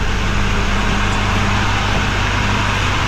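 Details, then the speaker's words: 2024 Chevrolet Silverado High Country Duramax diesel at first start after replacing a turbo damaged by plastic: a steady, even idle with a low constant hum and no screech or whine. The turbo sounds healthy. "That sounded way better, so everything should be good now, I'm pretty sure."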